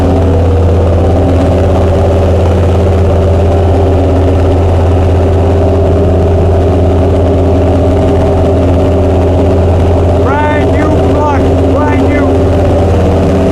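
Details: Chrysler 440 Six Pack V8 with triple two-barrel carburettors, after replacing a damaged centre-carb gasket beside the power valve: deep, steady burble holding an even idle with no misses, stumbles or hunting; carburettors running clean.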